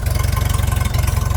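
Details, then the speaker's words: Old machine started on a warm winter day after sitting in the cold, warming up, 50 lbs oil pressure, no knocks or leaks; steady even idle thrum about sixteen pulses a second, no knocking or ticking: normal idle. "Nothing's knocking. Nothing's leaking. We're making 50 lbs of oil pressure."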